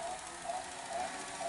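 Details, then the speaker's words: Sony SL-HF500 Beta VCR in fast forward: faint wavering high squeal pulsing about twice a second over tape hiss; hall effect device/servo not running at proper speed, servo problem, possibly capstan or drum. "here you can hear the hall effect device that is uh kind of like you know screaming for help saying i'm not working correctly hear that now that could either be now that's definitely this thing definitely has a servo problem"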